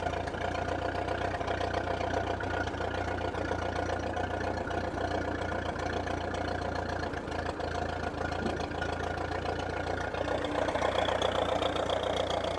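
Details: Ferguson T20 tractor, a revived barn find, with hydraulics and lights working: a steady, even petrol idle with no knocks or misses. It runs healthy.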